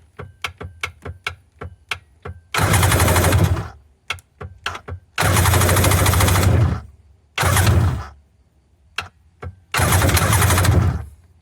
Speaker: About every third click hits the starter motor. You can tell the battery's got good power. There's nothing wrong with the starter motor. It's just not a solid hit each time.